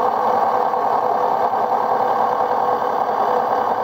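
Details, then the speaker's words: LG WD-1239 5 kg direct-drive washer, loaded with heavy items on a high-speed spin: steady hum with an uneven rattle from worn drum bearings, not yet fully failed; owner plans to replace them. "Máy giặt bắt đầu kêu lạch cạch và kêu vo vo."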